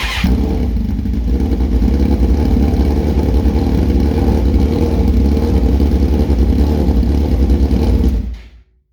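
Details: 2006 Suzuki GSX-R1000: about eight seconds of laboured, uneven cranking and catching, then it cuts out; hard starting, cause not yet known.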